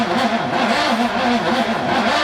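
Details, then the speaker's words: VK Commodore backyard find, first start attempt in about 10 years after a new fuel tank and fuel lines: laboured cranking rising and falling three or four times a second, never catching; battery too weak and needs recharging. "we're gonna have to charge it again"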